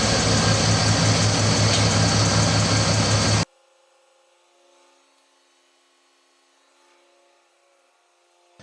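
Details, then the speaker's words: Mercedes ML320 Airmatic suspension after reading codes with none stored: the air compressor gives an even, steady hum with a regular pulse for a few seconds, then cuts off cleanly. Normal compressor operation. "now I can hear the compressor"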